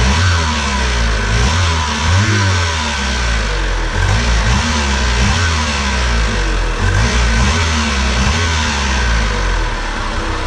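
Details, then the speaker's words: 1988 Pontiac Fiero 2.5 driven on road, heard from inside: much louder than before, raspy with whine climbing at high revs; owner suspects exhaust leak. "it's definitely it's a lot louder and at high revs it's really whiny so that's what leads me to believe I might have an exhaust leak"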